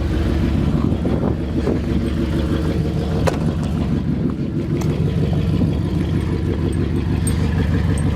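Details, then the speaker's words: 1999 Jeep Grand Cherokee 4.7L V8, 146,000 miles, first start after purchase: deep lumpy idle that stumbles unevenly, whole Jeep shaking; owner suspects a misfire or a big cam, before spark plug replacement. "oh yeah that is not good the whole Jeep is shaking yeah I've got a pretty bad shape to it here"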